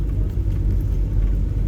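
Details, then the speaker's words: 1979 Toyota Corolla KE30 1.2L, driving after bottom-end rebuild (failing oil pump had starved crankshaft bearings of lubrication, causing grinding): steady, even low rumble with no knocking or tapping over road noise, much quieter; engine running healthy, temperature stable. "already I can hear the sound of the engine is a heck of a lot better it's much much quieter yeah it's better as well yes yes yes this is what it's supposed to be like"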